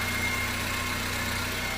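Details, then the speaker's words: Car engine after carbon cleaning, previously hard starting, rough idle, knocking, weak acceleration and black smoke from rich mixture: now steady, even idle back at 800 rpm, no knocks or misses; runs normally. "一机阿尔法呀清洗完毕，车辆呢已经着车了，着车呢也是非常的稳，稳稳当当的，一点问题没"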